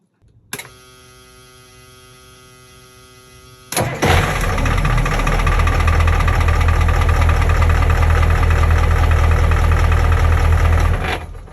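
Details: Boat diesel engine with newly installed starter, started away from the helm: quiet whir, starter catches and engine fires into a steady even idle with low throb; starts cleanly, though helm starting was the original problem.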